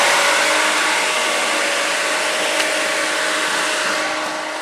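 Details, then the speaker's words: Whisper Flow variable-speed pool pump at highest speed four with raised water feature running: steady whir, light motor hum and cooling-fan rush, no knocks; very quiet, normal running before dropping back to normal operating speed. "as you can hear it is very very quiet we're going to drop it back down to its normal operational speed"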